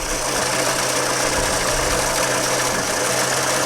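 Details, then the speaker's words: 1963½ Ford Falcon Futura off the road 18 years, Seafoam in the fuel, temporary wiring: engine idles with a slight occasional stumble under a steady hum; mild misfire at idle, owner suspects spark plugs, then wires. "she got a little Miss in her I can tell so probably gonna have to do some spark plugs probably do wires next"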